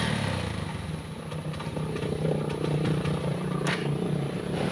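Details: Pinoy 155 motorcycle, very hard to start, runs like a galloping horse: low idle lopes unevenly with irregular clattery beats about two a second; rough running, cause not yet found, air filter or air cleaner under the seat to be checked first.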